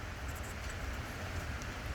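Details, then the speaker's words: 2011 Dodge Charger 5.7 Hemi Pursuit with code P0307, rough idle running on 7 of 8 cylinders: uneven low idle with irregular stumble; cylinder 7 misfiring, plugs checked and regapped, unplugging injector made no difference, suspected defective injector. "It was still running on 7 out of the 8 cylinders, number 7 being defective and misfiring."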